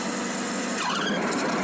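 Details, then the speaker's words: John Deere Z915E mower running with blades engaged: short, rising scraping squeal about a second in as the deck belt tensioner pulley, moving as the belt stretches, rubs against the deck. "see how that pulley is like scraping almost scraping the deck and practically is scraping the deck that's always moving around a little bit as that belt gets stretched"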